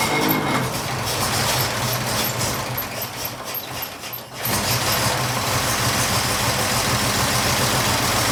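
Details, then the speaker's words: 1926 Oakland engine running after 75 years, on the factory original coil with newly made ignition wire: catches, dips, then runs unevenly and lumpy because one spark plug wire is off, causing a misfire. "it's got one plug wire off oh okay"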